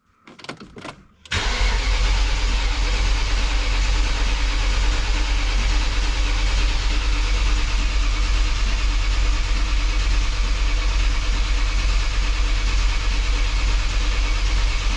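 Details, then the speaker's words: BMW E39 M5 Wagon cold dry crank without fuel after VANOS install, priming oil passages before first start: steady, even starter churn about three beats a second for fifteen seconds, no misses or drag, good compression. "i have to say it sounds a lot better it sounds good sounds like it's got"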